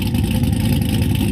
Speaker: this is what a car sounds like an idle when it's been cammed to work it give out the most amount of power at higher